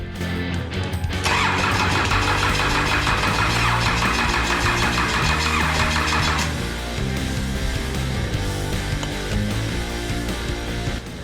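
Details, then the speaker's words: Cummins 6BT diesel with ZB30 starter, being fitted to a GU Patrol with 4L80e, injector lines cracked open so no fuel yet: steady rhythmic cranking about three beats a second that never catches; needs fuel priming. "these three lines here are cracked so um no fuel just yet"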